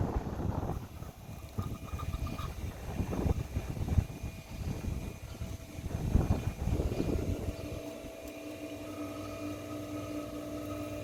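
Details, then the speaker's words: Ditch irrigation pump with foot valve being primed, valve cracked open to purge air: irregular rushing and gurgling that settles into a steady, growing hum as trapped air bleeds out and the pump catches prime. "You can hear the pump's getting a little bit louder and louder. It's got some air trapped in it, and in just a second it's going to go."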